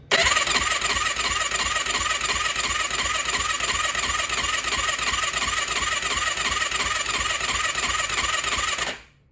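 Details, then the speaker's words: 2004 Yamaha YFZ450 ATV after rebuild with new exhaust, repeated first-start cranking: fast even churning about three beats a second, not catching; dry engine with new oil filter, no oil yet at head priming bolt. "That seems like a lot of cranking. But then again, we do have a new oil filter. I mean, the engine's completely dry."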